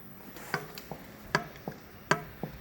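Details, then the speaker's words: Subaru Impreza 1.6 engine (2008, about 100k), on the bench with the crank rocked by hand: sharp metallic clacks in pairs from cylinder 1, a worn connecting rod bearing with chewed babbitt. "стучок в першому циліндрі отак якщо тримать помаленьку о тостуку немає короче вкладиш от стучок маленький є"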